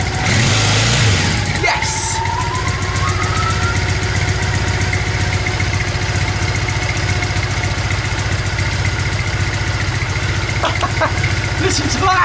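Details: Old Triumph motorbike found in a shed, first start with filthy exhausts and oil unchecked: fires after a short crank and settles into a fast, steady, even idle with no knocks or misses. Runs healthy.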